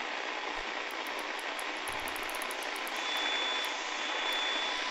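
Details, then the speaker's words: Sangean ATS-909X2 shortwave radio on daytime medium wave: thin, high, constant whine under the hiss, spurious tones generated inside the receiver on certain frequencies, worse at night, persists outdoors and absent on other radios. "as you can hear, my radio has spurious tones. There's something inside generating these tones on certain frequencies."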